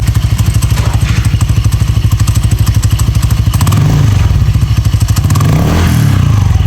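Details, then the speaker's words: Honda Click 160 scooter with direct dry clutch, fitted with PZ Tech CVT cover after clutch housing overheated: loud, fast metallic clatter, about three beats a second over low drone as wheel spins; typical dry clutch rattle, no damage, though it fouls easily in rain. "So medyo ingay lang to. So yung disadvantage nito, tawag dito, pagka maulan tsaka madaling dumumi."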